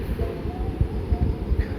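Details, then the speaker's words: Miyako KAD-927B desk fan, several years old, was dead, after replacing the blown thermo fuse: low steady motor hum with light handling thumps; motor spins and runs normally again, before bearing and gearbox replacement. "Kita nyalain kipasnya. Seharusnya udah bisa muter. Nah, itu muter tuh."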